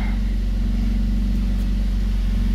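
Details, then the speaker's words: Rebuilt A20NFT engine, under 59,000 km, started with no check engine light: smooth, steady idle with an even beat, no knocking, misfire or smoke; the charcoal canister solenoid tick is normal. "It's fine, it's not smoking, it doesn't make any weird sound or something or whatever."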